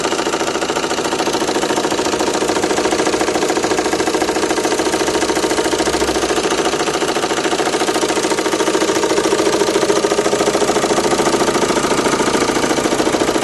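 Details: Renault Megane 2 1.9 dCi diesel at idle: steady even knocking nearly three beats a second over diesel clatter, disappearing with higher rpm, slight vibration; source unclear: engine knock at idle.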